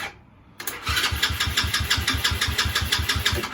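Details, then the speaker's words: 110cc Evoque ATV, down for a month with a new carburetor, new battery just fitted: starter churns the engine at a steady three beats a second but it never fires; cranks without starting, fuel issue suspected, not confirmed. "So guys, we just put the battery in and we connect the wire for the battery. But as far as what I'm seeing, it's not starting, guys."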